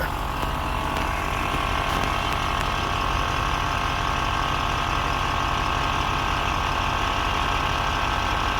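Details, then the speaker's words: Audi Q7 idling just after replacing the air suspension compressor and valve block: steady buzzing compressor drone with no knocking or rattle as the front rises slowly; compressor pumps up smoothly and sounds healthy. "I can hear the compressor going. Yeah, front's going up nice and slowly. So far so good."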